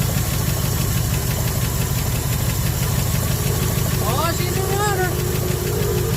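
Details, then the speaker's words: 1974 Ford F100 with a formerly locked-up engine, parked 21 years, with one vacuum leak remaining: lumpy, uneven idle with an irregular stumble every few beats; misfire, one dead cylinder. "oh yeah we got this part for a while running good on seven cylinders"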